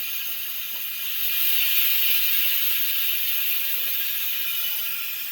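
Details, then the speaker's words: Suzuki Multicab (D17) A/C that still cools: harsh, hissy whir with light ratcheting clatter about three a second from a noisy compressor; a clogged condenser filter is blamed for starving the compressor of oil. "So iyung compressor ninyo ah mag-iingay dahil ang langis sumasabit dito makatagos pati free yon. So isa itong dahilan kung bakit humihina yung ano ninyo at ah nag-iingay yung compressor niyo itong ah condenser filter or decan filter."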